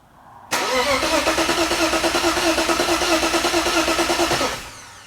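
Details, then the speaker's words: Boosted BMW engine with EWS delete, oil pressure confirmed: even starter cranking about three beats a second for four seconds, never firing; no spark because the crankshaft sensor is missing. "I don't think it's starting very clear. I don't think it has it. Maybe it doesn't have a spark."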